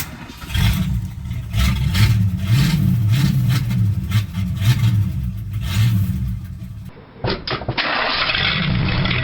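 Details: 1976 Ford LTD V8 idling after restart, now firing on all cylinders, with a light uneven tapping from the back of the engine top, rocker arm on number 8 intake; valve train tapping.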